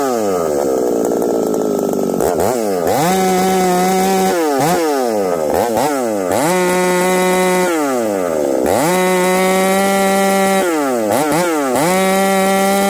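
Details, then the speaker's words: Ported 371 XP chainsaw with a new coil, warm and buried in a log: revs up cleanly, then the pitch sags and stumbles instead of holding. It runs fine cold but worsens once warm; owner suspects the carburetor, not confirmed. "I think we got a carburetor issue you guys hear that see how it's kind of breaking up acting strange so we'll have to dig into this carburetor further"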